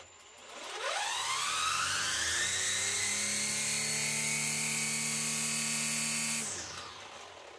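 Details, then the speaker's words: Parkside Performance PPFSA 40 Li A1 40V cordless brushcutter at full speed: loud, piercing whine up to 106 dB versus rated 90 dB, seemingly from the cutting-head gearbox; about 85 dB with the head disconnected. "Ruído às vezes até 106 dcb o que é muito porque o fabricante indica apenas 90 dcb."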